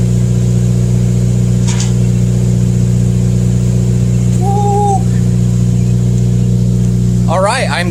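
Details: 2015+ Subaru WRX idling after CNT Racing header install with J-pipe and exhaust refitted, half a quart added back; deep steady drone with even low rumble, no ticking or puffing from leaks; normal idle.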